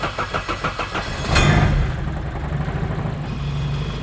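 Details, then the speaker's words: Car started after sitting: a steady light knock at idle, four or five a second, that stops when the clutch is pressed. It seems to come from the front of the engine; clutch or transmission suspected, not rod knock. "Did it go away when I put the clutch in? It's the clutch. Yeah, it's the clutch."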